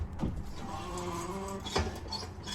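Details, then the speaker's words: BMW 1 Series rear wheel, jacked up, handbrake off, turned by hand: scraping rattles, sharp clunks and faint squeal from inside handbrake mechanism, bearing fine; handbrake shoes found fitted upside down, rattle also heard when driving. "oh dear sounds a bit that does that sounds like something much going on inside the handbrake mechanism it's not the bearing the bearing feels okay"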